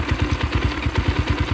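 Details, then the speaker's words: 2022 X-Pro Templar 250cc with 5-speed, newly installed Nibbi PE30mm carburetor, warming up: quick regular thumping idle about nine beats a second, light and thin; idle mixture slightly lean, air screw turned to richen. "so I can bring that in the air to the right to make [Applause] it to make it more rich"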